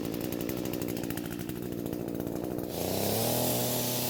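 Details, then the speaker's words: Echo two-stroke trimmer after replacing the carburetor diaphragm to cure weak fuel flow: buzz settling into a steady high rev that holds without bogging or sputter, running cleanly. "And it looks like the new diaphragm is what it needed because the fuel is flowing at a much better rate now."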